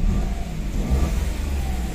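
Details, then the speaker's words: 2017 Toyota Wigo automatic with a check-engine light and a cam sensor fault code; it dies intermittently and lacks power. Revving in park, the engine lags before picking up and rises sluggishly. The hesitation is linked to the cam sensor fault. "oh Pag inapakan bago kumagat matagal matagal siyang magalit"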